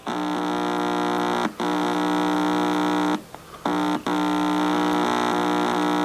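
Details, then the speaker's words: GE tube radio believed to be an export X-216A (possibly X-153), speaker fed a signal-generator tone at full output: steady low buzzing hum with brief dropouts; the speaker works, just very quiet. "the speaker works it's just really quiet"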